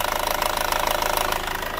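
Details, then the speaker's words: Hyundai Starex diesel, turbo just replaced, on cold start: quick, even ticking over the idle that is not fuel knock but hydraulic valve lifters short of oil; possible oil pump problem, timing chain also noisy. "Ang akala nyo, yung ingay na yan ay fuel knock. Hindi po yan fuel knock, mga kapatid. Nakakatakot kung tutusin kapag ka sa unang start mo, ganyan ang tunog. Yan po ay valve lifter."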